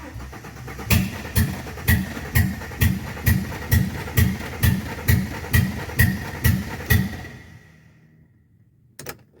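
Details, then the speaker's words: AU (AutoX) with fuel pump running and fuel added: slow even cranking about twice a second for six seconds without firing; cranks but won't start, fuel filter suspected. "fuel pump comes on and yeah we've put some fuel in it because I thought it might be out of field it's not but listen to this [Music] nothing that's it"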